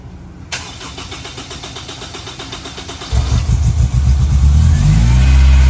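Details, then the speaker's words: Honda S2000 CR with 532 miles, not run for over 10 years, repaired wiring, first start: a brief crank, a clean catch, then a smooth even idle and a firm rev; normal start and idle. "Wow. That's what they're supposed to do. 532 miles."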